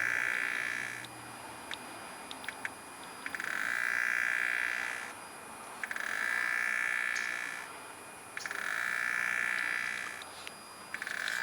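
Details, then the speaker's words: BMW N54 with engine off, gas pedal pressed for 10 seconds to run the electric water pump: high, thin screech in pulses of about two seconds with brief gaps as it tries but fails to pump coolant; failing electric water pump. "So I'm pretty sure you guys heard that, but that's my water pump trying to pump coolant into my reservoir. One way to tell is that, obviously if you hear that noise, you know it's toast."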